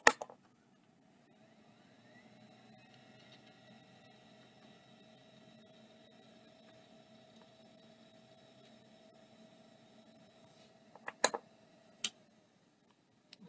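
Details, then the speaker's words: Drive on test bench: brief rising whir settles into a quiet steady high whine with no clicking or scraping; spins up and seems to work normally. "sure seems like it's working"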